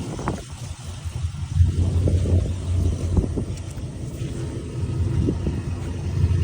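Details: 2004 Silverado V8 with new long tube headers: deep rumble under revving with an uneven puffing tick and rattle on top, from exhaust leaks at the headers.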